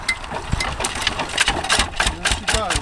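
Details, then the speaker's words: 1966 Lister single-cylinder diesel (LD1) on restored auto truck, freezing day, hand-cranked after oil drop in cold-start plunger: slow, irregular clattering thumps as it catches, a normal cold start. "this is your cold starting bit here you put a drop of oil in there stick the plunger down and then she should start up now a bit cold today we should go"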